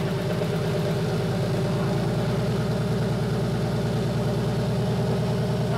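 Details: BMW E30 with M50 turbo six on Megasquirt KDFI v1.4, just after the first start on the new tune: a smooth, even idle with a steady low beat and no misfires or stumbles. Running properly.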